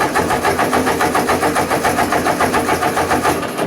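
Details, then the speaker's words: Ford 2N tractor, in neutral, choke out, a little throttle: steady cranking about three and a half beats per second, no firing; starts after more choke. "Yeah. She don't want to just fire up."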